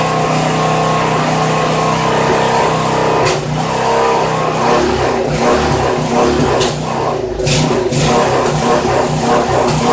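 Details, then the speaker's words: Poulan 900 rototiller with Briggs & Stratton engine, air filter removed: hunts and stumbles under throttle with uneven surges and dips; not just a clogged filter, carburetor needs cleaning. "no doubt about it got a clean out that carburetor"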